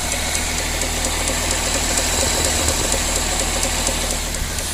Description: My 2000 Celica gt makes a ticking noise help! It happens right from start up all the way through the rpm range after 3500 rpm cant here it because engine is louder.